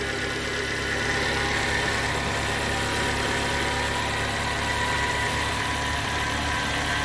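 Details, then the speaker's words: Suzuki APV idling after the crank-no-start fix; steady, even idle with smooth low hum, no knocks, misses or hunting; runs clean. "start so Okay na umandar na yung ano natin epb"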